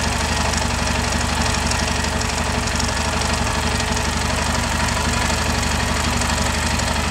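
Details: Yamaha Ténéré idling with a strange engine noise: regular light tapping about four per second over the engine; abnormal, cause not confirmed.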